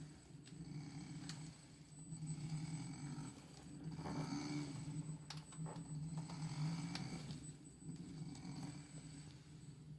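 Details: Idle noise from a brand new Msuper X: a rough, gravelly low grinding churns unevenly from the hub motor, with scattered faint clicks.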